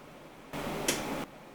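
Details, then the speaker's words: Hotpoint SI4 854 C IX oven (Whirlpool), grill-only mode without fan, manual timer: quiet room then one crisp relay click, no chatter or buzzing; relay pulls in normally and grill element draws about 2,700 W. "I'm going to press on time we want it on manual and what I want you to listen for is the relays and also look here"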